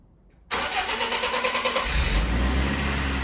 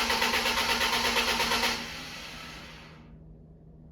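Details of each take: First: Restored BMW E36 after a new battery is fitted: a brief crank, then it catches cleanly into a steady, even idle with no misses or knocks. The fan started immediately; owner suspects the viscous coupling. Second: BMW E36 on its first start attempt in 6 months after restoration: even cranking pulses at roughly three a second that never catch or fire.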